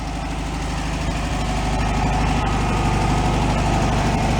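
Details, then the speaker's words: 1965 VW Beetle air-cooled flat-four after complete rebuild, out by the river before a drive: even steady low putter with regular firing beat, no knocks or ticks; normal clean idle, running pretty good. "running pretty good after a complete rebuild we'll go for a drive"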